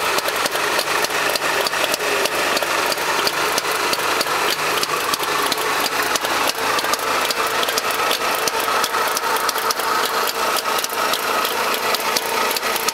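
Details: Trabant two-stroke engine at idle: a busy, rattly idle with a fast, even ticking over it throughout. Cause unexplained. Unexplained engine noise.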